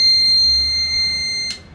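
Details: Inverter test starting a 1/2hp motor pump: steady shrill buzzer tone about a second and a half then cuts out; inverter overload alarm as the pump motor fails to start.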